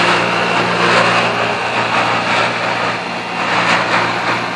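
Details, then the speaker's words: Pentair Ultra Temp pool heat pump running, recorded at the fan: loud, steady droning hum with a harsh rushing roar from down low. The noise is intermittent and hard to replicate, with grinding when the pump shuts off; cause unclear. "Here's the fan. Making a ton of noise. Sounds like it's coming from down low."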